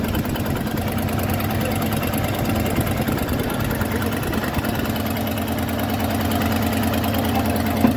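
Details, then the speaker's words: 1993 Ford F250 302 5.0 V8, after replacing cut-up vacuum harness plus throttle mix screw: steady smooth low idle rumble, no stumble or hiss; running better but still not roadworthy. "We got the vacuum harness in, and that plus the mix screw, it is running better. Still not going to take it anywhere, but it is running better."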